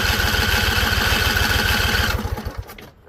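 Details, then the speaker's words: Husqvarna Z254 mower with an apparently swapped V-twin engine, spark plug gaps look too small: on choke with carb spray, it catches with a quick steady chuff for about two seconds, then fades and stalls, apparently as the spray burns off. "All right, so it came on. I think we burned off all the carb spray we had in here. So let's give it some more. See if we can keep it alive."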